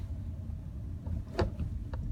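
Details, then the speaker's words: 2015 Hyundai Elantra SE driven over speed bumps at about 47–48°F with suspension still cold: short creak-clunk from the front, lighter second one, rear quiet; suspension creak only on speed bumps, lessens as it warms. "And I can isolate the noise actually only on speed bumps."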